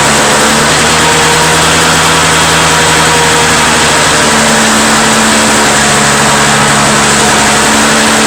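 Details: Two-stroke Toro snow blower: buzzing steadily at fast even speed, no misses or surging; owner suspects plugged jet caused the no-start, now runs cleanly.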